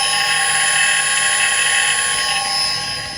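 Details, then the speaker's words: Clarkson Mk1 tool and cutter grinder motor running on the fitted economy bearings, before they are replaced with branded Japanese bearings. Several steady high-pitched whining tones over a rough hiss; noisy, poor-quality bearings. "Just as a reminder what these sounded like that are fitting right now. I think they're pretty awful."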